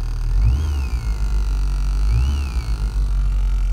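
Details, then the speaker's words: 1989 VW Passat B3 with an amplifier on the rear oval speakers, engine idling with throttle blips: a thin whistle rises and falls with revs and is worst at low volume. Engine interference whine is reaching the speakers through the amplifier; cause not yet found. "звуку даёшь оно играет хорошо но когда меньше даже звука свист ужасный Когда газуешь"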